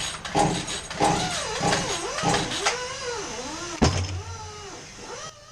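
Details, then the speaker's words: Craftsman 18-inch chainsaw with good fuel, spark and compression that floods: about a pull every second, each spinning up and dying without a single pop over ten pulls. No-start from a sheared flywheel key throwing the timing out. "another 10 pulls didn't clear to start it didn't burp pop"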